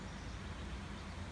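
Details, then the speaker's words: 1999 Chevy Suburban with a new replacement V8, fitted after the old 350 5.7 L Vortec ran without oil and spun its rod bearings: a low, steady, even rumble with no knocks or ticks; normal idle. "when i actually show the new motor what a beautiful new engine purse like a kitten"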